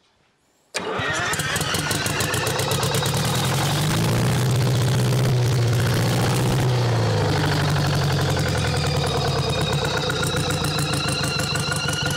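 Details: Champion motor grader with a Detroit diesel that sat locked up for 7 years, restarted after the other filter was put on: catches within a second, settles to a steady, even clatter without misses; normal running.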